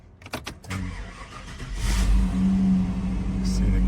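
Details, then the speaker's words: 1995 Chevrolet Suburban 2500, 454 V8, automatic, 4WD: a few clicks, a short crank, then it catches and settles into a deep, steady, even idle; a clean start. "Hi, this is Dirk from B&B Auto Sales. We're going to start up our 95 Suburban."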